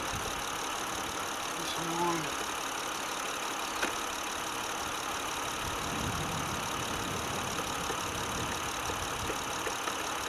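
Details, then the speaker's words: Car engine with throttle body idling after cleaning the throttle body with carb and air intake cleaner, clamps and vacuum lines refitted: quiet, even idle with no sputter, hunting or misses; normal idle. "you would hear it if i if i mis messed something up because the vacuum line was up this thing would be a little bit sputtering and carrying on"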